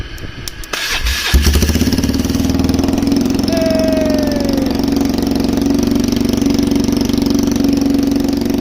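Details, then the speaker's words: Polaris Trail Boss 330 quad, carburetor just reinstalled, ignition jumped, choke on, no airbox: it cranks, catches after about a second and settles into a steady, even single-cylinder idle. It runs normally. "well she definitely runs all right so I think it's safe to say that it's a run"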